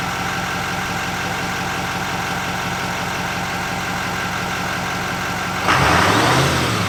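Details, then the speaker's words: 2024 GMC Sierra 2500 AT4X Duramax L5P diesel, new turbo, not yet tuned, check engine light on: steady idle with a constant, very loud airplane-like high whistle and a short blip near the end; normal turbo whine. "Wow. Sounds like a airplane. I think the new turbo car really changes the sound of this truck. By the way, it is really, really loud."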